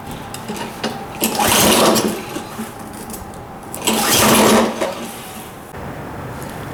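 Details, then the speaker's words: Toro 22" Recycler FWD lawnmower, just refilled after being run very low on oil, on its first pull-start try: two pull-start rasps spin the engine briefly but it never catches; no start, later started with starting fluid. "so no start there let's see if we can pass the spark test"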